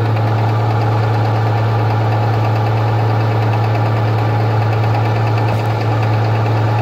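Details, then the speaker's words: Rover 75 2.5 (177 hp) at cold idle in the morning: a light, uneven tapping of one to two per second from the timing-belt side, occurring only when cold. Timing-belt tensioner roller suspected by others, not confirmed. "вот это вот у нас стук идет получается и только идет на холодную не знаю пока кто-то говорит ролик натяжной грм овский"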